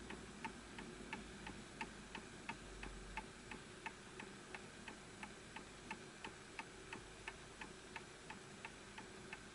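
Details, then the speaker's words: Antique Enfield Westminster chime mantel clock after pendulum adjusted to the level surface; crisp, even tick-tock about 88 beats a minute with equal spacing: clock in beat and running healthy. "So that sounds absolutely perfect to me, and it's matching the level that it's on."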